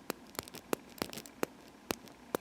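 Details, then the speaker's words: Rear differential of an Orlandoo OH35A01 Hunter 1/35 scale crawler turned by hand: mostly smooth, with sharp little clicks where one damaged gear tooth catches; gears replaced. "it seems pretty smooth for the most part but there's a spot where you can hear or hopefully you'll be able to hear where it's not very smooth gear there's a damaged gear in there"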